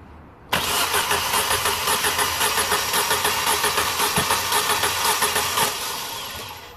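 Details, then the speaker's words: 2006 Vauxhall/Opel Astra H Z14XEP 1.4 petrol (dual-fuel, run on petrol) with misfire: even starter cranking about two beats a second during compression test on cylinder 1, holding about 175 psi, acceptable. "so this one is okay is holding the pressure in there as you can see so I'd say this is quite acceptable"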